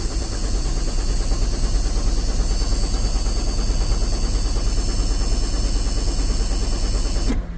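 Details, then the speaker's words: Cummins 5.9L diesel in a sweeper, check engine light on: starter grinds at a steady even rate for several seconds without firing; crank, no-start. "Nope, no start."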